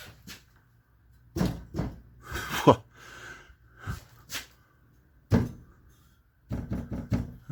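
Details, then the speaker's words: 2012 Chevy Cruze, 12 years old: separate taps on the muffler, each followed by a short tinny internal rattle; a baffle inside has broken loose at this end but not farther up, while the catalytic converter taps solid. "tap on your muffler I can hear something listen that hear that there's a baffle inside it's breaking loose it's broken loose on this end but not farther up"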